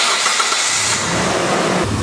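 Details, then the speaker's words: Warm petrol car engine with no vacuum leaks catches quickly and settles into a smooth steady idle around 750 rpm, no hiss or hunting; normal before a test leak is created. "I'm do this on a warm engine but as you can see our idle speed is about 750 rpms"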